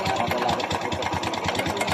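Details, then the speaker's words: Kawasaki Bajaj CT 100 idling with a fast, regular metallic rattle keeping pace with engine speed; mechanic judges it timing chain noise, suspected stretched or slack, to confirm by removing the timing chain cover. "para sa akin yung tunog na yan ay timing chain."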